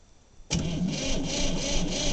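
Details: 1960 Massey Ferguson 200 tractor, first start attempt in about 20 years after glow plugs heated: starter engages abruptly and churns at a steady pulsing rhythm but never fires; cranks, won't start.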